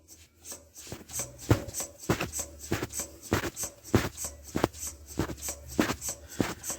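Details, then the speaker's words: 1958 Oliver 550 diesel tractor, reassembly, hand-operated lift pump priming fuel through a glass bowl filter into the fuel filter with its vent plug removed: steady hand-worked clicking, one or two strokes a second; normal fuel lift pump priming. "we're going to pump it up into this filter until we get fuel coming out the top"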